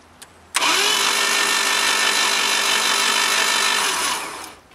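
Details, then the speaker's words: 1988 Jeep Comanche, Renix 2.5L I4, no-start, cranking with the spark plugs removed. Fast, even whirring with no compression pulses, sounding the same as with the plugs in; no compression is suspected, and a compression test follows to confirm it. "Yeah, that sounds pretty similar to before. So now the next thing we can do is a compression test to confirm there's no compression."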